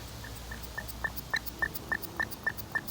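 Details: Thai four-stroke sprayer engine after a carburetor clean: even squeaky chirps, about three a second, as the primer bulb is squeezed, showing fuel moving freely and the carburetor passages clear; a normal primer squeeze.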